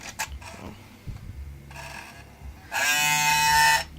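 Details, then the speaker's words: Xbox disc drive: a few light clicks, then a loud, harsh one-second grinding buzz when a disc is inserted. The game isn't read, the disc gets scratched, and the tray had been getting stuck. "makes that grinding noise and then like try to put in the disc all that stuff still doesn't work"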